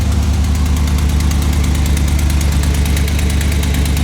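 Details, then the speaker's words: 2011 GMC Sierra 1500 with swapped 6.2L L92 V8 idling with a sharp steady tick about three a second; exhaust manifold gasket, cheap non-MLS, probably blown during a full-throttle pull, being replaced. "did a little full throttle pull onto the highway, and I think I blew one of my exhaust gaskets."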